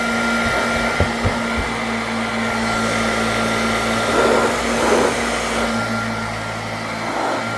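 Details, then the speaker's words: Vintage Hoover Junior 119 vacuum, no suppressor fitted: smooth, constant motor whine with steady airflow rush and no rattles, blowing dust out; runs healthily, bag needs cleaning. "Oh yeah, it's filling out. It's filling the room with dust. It works and it sounds smooth."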